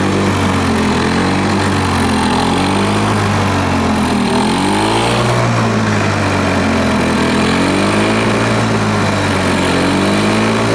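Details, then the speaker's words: Lawn Boy 4651 two-stroke mower running without an air filter. It holds speed, but the pitch rises and sags every couple of seconds; the hunting note suggests lean running from too much air, suspected not confirmed. The old filter was refitted for resistance. "I think that was the case running it without the earth rotate sounded a little bit lean in my opinion"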